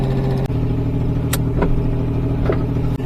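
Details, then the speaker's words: Fiero GT warming up on a drive: low, steady drone with occasional sharp puffing ticks riding on it. Owner says it definitely sounds like another exhaust leak. "let it warm up does sound like definitely a another exhaust leak in"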